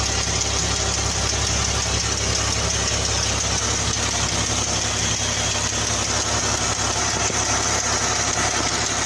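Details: 2014 Jeep Wrangler 3.6 at idle: light, fast ticking over a steady idle, keeping pace with engine speed from the top end; hydraulic valve lifter tick suspected, not confirmed.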